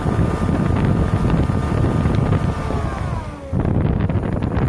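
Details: Lexus LS400 engine whine, very audible in the cabin: steady high whine whose pitch slides down as revs drop. Owner suspects the alternator, possibly bad diodes; unconfirmed.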